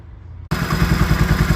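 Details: 2004 Can-Am Outlander 400 after cam chain, sprocket and guide replacement (stretched chain with maxed-out tensioner had been slapping): steady, even idle with a deep, regular chuffing beat and no chain slapping.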